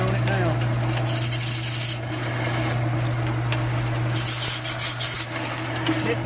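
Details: Ridgid K1500B drain machine: steady motor hum with scraping, rasping chatter as the cable bites and cuts through the clog, and the drain is cleared.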